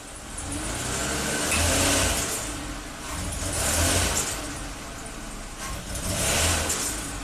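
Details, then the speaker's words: 2007 Toyota RAV4 V6, 427k miles, P0171 bank 1 lean, power loss under medium load, plugs, coils and MAF already replaced: engine swells and sags every two seconds, climbing lazily under load despite 45 psi fuel pressure; cause not yet found. "you can hear the engine is not responding very quickly even though our fuel pressure seems to be fine 45 PSI"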